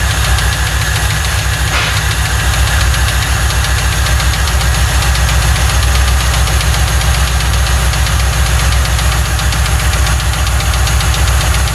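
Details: 1995 Lincoln Mark VIII, 4.6 4V Ford modular V8, first start after a timing-set job; steady idle with a sharp regular deep tapping about four a second, suspected rod knock; car arrived with no oil. Needs a new engine.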